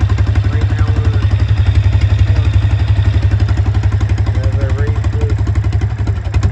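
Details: Honda single-cylinder engine driving an Eaton series 11 hydrostatic transmission in a homemade inboard boat; owner says it runs poorly, carburetor not checked: deep, choppy thrum about four pulses a second, uneven and lumpy; rough running, cause unconfirmed.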